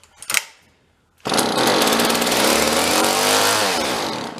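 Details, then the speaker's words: Vintage John Deere chainsaw found in a roadside free pile, has spark: after a pull it bursts into a rough, buzzy run on prime, then sags and dies, starving for fuel; carburetor to deal with, pull start also needs work. "Yeah, that's what's going on. Kind of get it and not get it. I'm gonna try with the choke a little bit more. But I don't think. Yeah, we're not getting anything."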